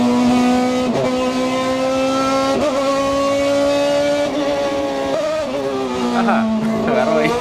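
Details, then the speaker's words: Race car at high revs pulling unevenly, pitch sagging and stumbling instead of climbing cleanly; misfire caused by a faulty water temperature sensor reading zero. "Tuve una falla que un sensor de temperatura de agua marcó cero."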